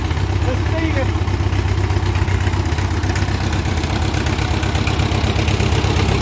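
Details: 1957 Ford 660 tractor, just started with choke after sitting 13 to 15 years: loud, raw, blatty idle thumping about four times a second with a harsh open-pipe bark; owner says it needs a muffler.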